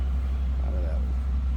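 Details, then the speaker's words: 1991 Oldsmobile Custom Cruiser wagon, 305 V8, heard from the rear: steady deep low rumble with an even beat and no knocks or ticks; normal idle. "305 V8. Sounds good."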